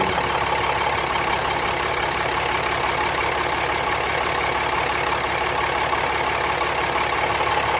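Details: 2017 Ram 3500 diesel at idle during an injector kill test, with one injector cut from 12-17 s and another from 28-33 s: a loose, fairly regular rattle about three knocks a second over the diesel clatter. Source undiagnosed.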